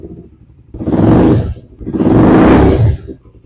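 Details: 2015 Yamaha YZF-R3 that sat for years, after fuel system repair and a new battery: engine starts quickly and takes two clean, crisp throttle blips, dropping back smoothly each time; normal start and rev.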